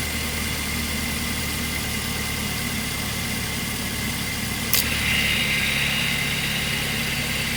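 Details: 2008 Mazda 3, nearly 200,000 km, idling with AC on after new serpentine and AC belts: steady idle, then a sharp click as the AC clutch pulls in and a faint whine starts; startling but seemingly normal compressor cycling per a mechanic friend.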